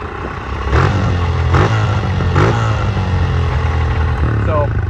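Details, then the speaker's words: Honda CRF125F dirt bike after carb clean, fresh gas and throttle cable tightening: revs pick up then hang high, slow to drop back; owners suspect an intake leak or bad gas, unconfirmed; hanging idle. "it's uh it like kind of like just revs up on its own or kind of like rev hangs rev hangs a little bit we don't know why maybe it's like an intake leak I don't know"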